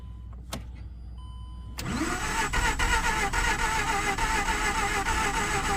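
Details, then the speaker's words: 2009 Mazda RX-8 Grand Touring rotary, 6-speed manual, 215k miles, not run in 8 months, suspected low compression; cold start: slow even cranking then stumbles into rough run, smoking; hard start, cause unconfirmed. "Man, it wants to go. I'll come back once I get her going. I don't know why it's smoking, but it's smoking."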